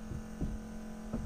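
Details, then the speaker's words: 1984 Chevy Champion motorhome, revived after years unused: electric fuel pump wired to battery priming through two inline filters into carb bowl, checking floats; steady low electric hum with light knocks, bowl filling and holding. "I hear it filling and looks like we're holding looks like we're holding"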